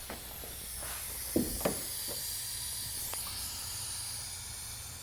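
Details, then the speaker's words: LS V8 swapped into a Porsche 944, oil not yet primed, briefly cranked on the starter: a steady airy hiss continues after cranking with faint clicks; owner suspects gas blowing by through the breather, cause unconfirmed. "Ooh, what is that noise? Did you guys hear that hissing? That doesn't sound good."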